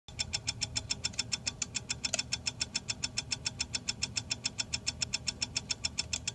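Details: 52" Hunter Low Profile ceiling fan, motor sticking at one spot after shipping: crisp, even ticking about 3.5 per second, steady with rotation; owner suspects bearing damage, not confirmed.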